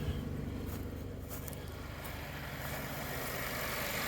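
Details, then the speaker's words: 2014 Chevrolet Impala Limited 9C1 police-package V6, 142,000 miles, freshly serviced with new oil filter and air filter: steady, even low idle rumble with no knocks, ticks or whine, idling smoothly and healthy. "It doesn't leak at all. It doesn't smell. It doesn't make any noises, none of that."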